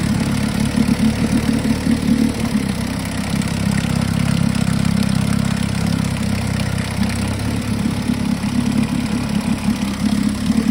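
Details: 1952 Johnson SeaHorse 10hp two-stroke outboard revived without new parts; steady even buzz at constant speed, no misses, knocks or surging; runs good, though needs pull rope, O-rings, grip and small gas leak fix.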